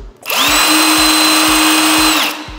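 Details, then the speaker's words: Parkside Performance 150 Nm drill on a regular (smaller) battery rather than 8-12Ah: steady high whine spins up, holds, winds down; no-load speed is audibly lower, small battery can't fully feed it. "je počuť, že tie otáčky sú už na bez zaťaženia nižšie."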